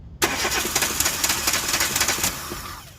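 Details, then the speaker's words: 2013 Chevrolet Spark 1.2, code P0352, severe misfire, ignition coil already replaced: fast uneven cranking that fades without catching; no spark on cylinders 2 and 3, later traced to a wiring fault. "O sea, aquí está claro que el problema, bueno, sigue estando. El problema de que no hay chispa en los 2 cilindros. O sea, cilindro 2 y 3 sin presencia de chispa."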